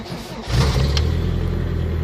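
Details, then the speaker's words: 1989 Toyota pickup 22RE, first start after sitting overnight: cranks, fires and roars up then dies; hard start after more than three hours sitting, fuel line priming suspected. "crank up and then boom done and then see nothing but if i sit there and do that a few times better"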